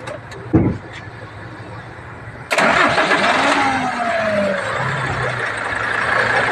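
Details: Hino diesel truck that had a hard start, low power and misfire, starting after a new limiter was fitted. After a short pause it cranks briefly, catches at once and settles into a steady idle; RPM improved, but power is still lacking.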